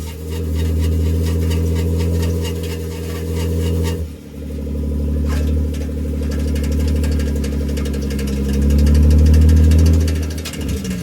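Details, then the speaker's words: BMW E36 while driving: deep engine drone with faint steady scraping hiss and scattered light knocks and rattles from rear brake area; owner suspects rear brake dust shields rubbing, not confirmed. "So based on that footage you just saw, as crazy as it sounds, I think all of that noise is from the dust shield."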